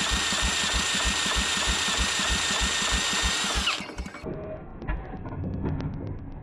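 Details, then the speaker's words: Old Rosco Vibra-Pac roller packer: even cranking pulses about three a second with rising compression thumps but no firing; cranking without starting, next steps more gas, then a spark check. "definitely just built some compression there it's like we're getting the Rings to pop out"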